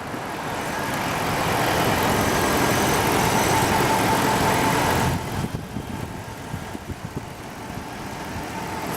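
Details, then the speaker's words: 2007 Dodge Charger, numbered Sublime green package car, V8 at idle, mic walked around the front with passing traffic: quiet, even idle with no ticks or squeaks, quieter than a Challenger with the same engine; normal healthy idle. "It's just nice and quiet. Actually, I have a Challenger over there. I drive the same engine, and this one's actually quieter."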